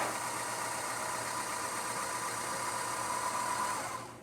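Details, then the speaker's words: Breville Oracle espresso machine after service for loud running noise, test shot: built-in grinder at grind 12 with auto tamp gives a steady even whirr for about four seconds, then winds down cleanly; normal grinder operation. "This machine comes with an auto tamp, so it will automatically tamp the grind that the grind is running."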